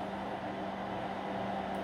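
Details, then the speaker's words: SkyRC D200neo charger balance-charging a battery as it approaches 4.35 V per cell: steady soft whirr with constant low hum from its small cooling fan running normally, later clicking off. "is going properly within spec the little fan is on the charger"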